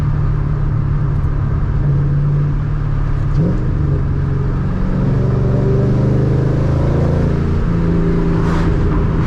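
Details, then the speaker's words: Ford Mustang with the 3-valve V8, after a filthy intake was pressure-washed and a restrictor removed: strong, clean rumble climbing with revs, plenty of intake roar, no stumble under hard throttle. Normal acceleration; lost power was restored. "I hear the intake yeah it's it's already flowing a lot more air I feel it this thing is not choked out anymore"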